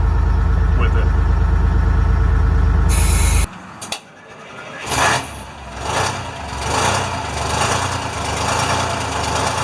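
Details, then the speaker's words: International firetruck with a Detroit diesel, after a ground cable repair and new batteries. It starts right up with good oil pressure and gives a deep, even idle with bursts of air hiss. It sounds healthy. "and then it started right up good oil pressure we'll let it run for a second and we'll flip the throttle and let it"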